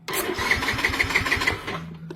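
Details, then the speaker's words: Yamaha Mio M3 scooter, key off, jumpered: the starter cranks by itself at about six beats a second and the engine never catches; a short, suspected in the starter relay. "Padahal kontak off ini udah langsung nyetat. Ini ada yang konslet, Guys."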